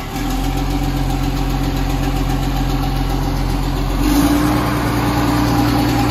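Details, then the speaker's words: Military surplus 6x6 cabover truck, jump-started on weak batteries: even diesel clatter at steady idle with slight rise midway, no misses or knocks; running normally, about 14 volts charging. "so we figured we tried jump starter and see what she does go for it there you go hey ron sounds good"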